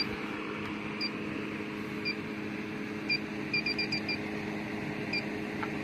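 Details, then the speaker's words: Warmed-up electronic leak detector checked at the evaporator of a low-subcooling HVAC system: a steady sensor hiss, then sharp high beeps speeding into a quick cluster, alarming on a refrigerant leak at the rear U-bends of this common leaker, the 832 evaporator. "He's a leaker. These things are real bad leakers a lot of the time. See, she rings off back in the back."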